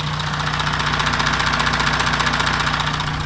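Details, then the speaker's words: Audi Q7 4M 3.0 diesel (CVMD), 2016, about 170,000 km, idling and blipped before teardown, heard near the chain tensioner: steady regular metallic tapping over the diesel clatter; chain stretch suspected, tensioners to be replaced, cause unconfirmed. "Вот мы слышим звук. Ладно. То есть слышно было этот звук. И вот сейчас будем его устранять."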